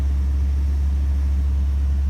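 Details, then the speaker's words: Rebuilt 1965 Ford Thunderbird engine, five miles after rebuild, on a cool morning: smooth, even low idle with a deep hum and no knocking, good oil pressure; slight smoke, likely from leftover oil. "five miles on the whole motor but it does sound really good sounds healthy and if not knocking anymore good oil pressure"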